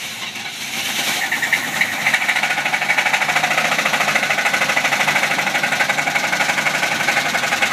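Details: Original, worn-out 1973 Chevy C30 with numbers-matching 454 LS5 big-block V8, run low on oil by a previous owner: sharp, steady metallic knock about three times a second at idle, indicating a worn connecting rod bearing.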